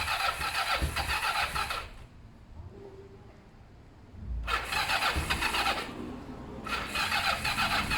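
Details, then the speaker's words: Kawasaki ER5 twin during service and repair, cranking but not starting: steady fast starter whirr in long bursts with pauses, no firing. Owner thinks the carbs have fuel and will check the plugs are clean and sparking. Cause unconfirmed. "so I think there is fuel in there in the carbs I don't think there's an issue there next thing here to do is check the spark plugs"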